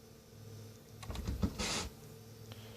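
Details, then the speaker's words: Vintage Sony PS-5520 turntable after servicing freed seized levers and arm lead-in adjustment: quiet hum, flurry of light clicks and brief whirr as the arm picks up, returns and shuts off; auto-return cycling normally. "Yeah, it picks up at the right spot. And then releases and shuts off. That's awesome."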